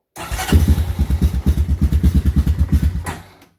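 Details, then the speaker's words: 1993 Honda TRX 300EX single-cylinder ATV after new battery, warm, restarted after sputtering and dying on a ride: uneven lumpy thump, about three beats a second, dying away; rough unstable idle, carb suspected. "then it started sputtering and I took it for a ride and it died on me and then it wouldn't want to start again"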